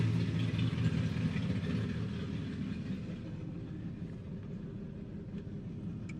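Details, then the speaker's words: LS V8 nitrous Mustang, newly fixed and first fired before dyno: deep steady idle with even lope around 150 pulses a minute, no knocks or ticks; sounds good, healthy and settled. "no complaints there that's a it sounds good it looks good it's gonna run good"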